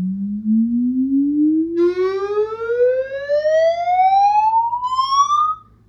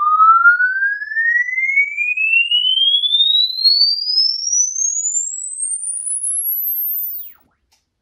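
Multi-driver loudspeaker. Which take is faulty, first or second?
first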